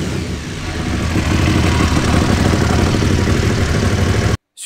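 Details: Cold-start idle on an Aprilia Caponord 1200 Rally with the airbox intake sleeve cut: loud, coarse intake roar over the engine beat, far too noisy for slightly more power; an original sleeve is being refitted.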